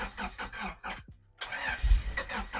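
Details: Honda Civic EG hatch, long-sitting car with treated old fuel, clutch held down, first start attempt: starter cranks in uneven bursts with brief catches that never take hold, a pause, then more cranking; engine fails to fire, cause unconfirmed.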